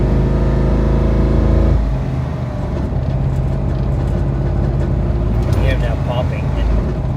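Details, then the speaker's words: 2010 Dodge Ram 1500 Hemi towing a car, check engine light blinking: heavy low engine drone with uneven popping, seemingly from the right side, oil level fine, transmission also jumping in and out of gear; cause unknown. "Look at that blinking check engine. I'm just like trying to make it home. It's so annoying. I don't like the way it sounds."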